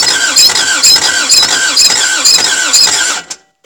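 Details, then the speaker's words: Toyota MR2 AW11 after cleaning injectors and distributor, distributor timing being adjusted: starter grinds about two beats a second with high squeal, no catching; cranks without starting, owner suspects many bad cylinders. "damn man that one cylinder it like wants to try but there's so many bad cylinders"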